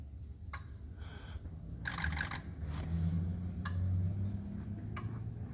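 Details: 2004 Ford 6.0L Powerstroke diesel pickup with rough running: scanner electrical injector self-test after an injector is mounted and plugged in, before oil rail goes on; sharp single clicks about a second apart over quiet hum as each injector fires, normal.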